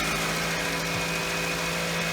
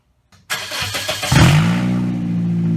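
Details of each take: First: 2007 Pontiac Vibe after the exhaust manifold joint was refitted with a new donut gasket and bolts: steady, quiet idle with an even hum, no ticking or puffing; exhaust sealed and healthy. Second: 2007 Pontiac Vibe before repair: loud, raspy, hot-rod bark on start and two throttle blips because the exhaust manifold joint came apart, losing both bolts, the springs and the donut gasket; leaking at the flange.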